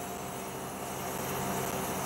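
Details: Outdoor air conditioning unit after swapping legs for rubber-topped spring mounts: steady fan and compressor hum, some wind on mic, no rattle or thumping; runs smoothly without vibration.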